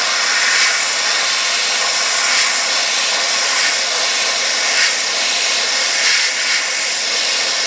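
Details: Sandblasting gun using worn leftover blast-cabinet media to remove surface rust from flanges on a 1968 Triumph TR250 before priming: loud steady air hiss rising in short bursts as trigger is worked; blasting normally.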